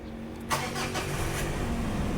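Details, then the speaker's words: Mitsubishi Pajero Sport KG4, 4D56 diesel, complaint of black smoke and poor acceleration: catches after short crank and settles into steady, even, quiet idle with no knocking or shaking; idle normal. "แอร์เครื่องเดินเบาปกตินิ่งดีถ้าเงียบไม่ดังไม่ลั่นไม่สั่น"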